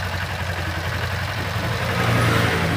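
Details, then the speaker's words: Kawasaki Ninja 250 FI after cam chain tensioner repair: steady, even idle with smooth low hum, the cold-start ticking/clattering from the failed cam chain tensioner now gone; top end sounds healthy. "Nah ini dia oke ya suaranya langsung rubang ya hilang ya suara ketek kecekceknya"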